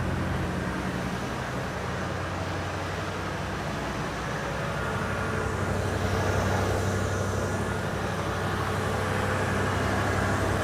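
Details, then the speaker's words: 1986 Chevy K10 pickup V8, just started cold after sitting for years: steady, even idle sitting a touch fast with no dips; owner thinks choke will open once warm, so high cold idle. "just a little bit high but when it warms up choke probably open up"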